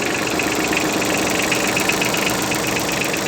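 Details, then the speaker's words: Yanmar AF15 mini tractor diesel with rear snow blade, sub-zero day, neutral, throttle untouched, clutch engaged: even clatter at steady idle, about four beats a second, no extra knocks; runs very smoothly, normal idle. "Трактор работает ровно очень, без лишних каких-то шумов. Все отлично."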